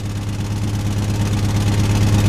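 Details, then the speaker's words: Jeep idling low and lumpy with an uneven misfire pulse; it shook violently with no power under about 2000 rpm; broken piston pieces also feared. "okay guys so you can see it's got a misfire and something's not right"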